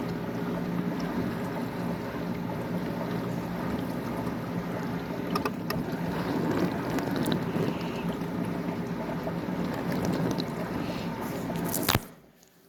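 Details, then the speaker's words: Bosch Ecosense dishwasher after fix of noise problem by rearranging contents, hot wash cycle, lid closed: steady wash roar of spraying water about twelve seconds, no rattling or grinding; washes normally, problem fixed. "so the problem it looks like the problem is fixed the washing really well"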